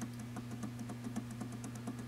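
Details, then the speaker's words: Generac governor with stepper motor on a Mercedes-powered 24kW ST generator head, 12V powered, signal generator near 60Hz reading 63Hz: fine adjustment knob turned, quick regular ticking about six per second over mains hum as the stepper pulls and adds throttle to correct speed. "you hear it start to correct a little bit it's pulling some throttle out there here is increasing throttle a little bit"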